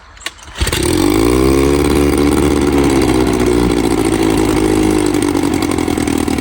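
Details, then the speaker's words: 1954 Evinrude 7.5 HP Fleet Twin outboard just after carburetor rebuild with new gaskets, float and needle: catches after the pull and settles into a smooth, steady two-stroke idle with no misses: normal idle. "Sounds good. Not making any gas. Actually, idle good here."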